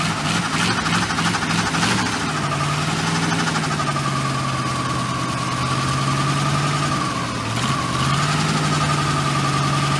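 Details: V8-swapped 1972 Mazda B1600 after transmission reinstall with new flex plate, everything torqued (old one thought loose): steady, even V8 idle with a constant low note, no knock or rattle; running smoothly.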